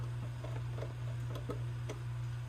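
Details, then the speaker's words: RCA 16x3 vacuum tube AM radio from the 1940s, powered up slowly on a variac with no reception: steady low hum, same pitch regardless of volume, faint ticks on top; power supply fault, filter capacitors suspected. "volume independent hum. That tells me the power supply's got an issue."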